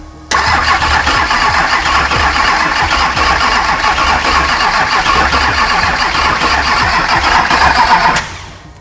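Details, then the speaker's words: Duramax diesel engine imported from the U.S., first start attempt in the Patrol: starter cranks evenly about four beats a second for eight seconds but never catches; fuel pump not building rail pressure. "we're not building any rail pressure at the moment right"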